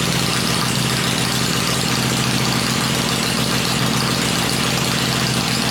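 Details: Freshly built 96-inch V-twin with Edelbrock heads on an engine run stand, cycled through revs before going in the bike; loud lumpy beat at steady fast idle with stand rattle behind, no knocks or ticks; normal idle.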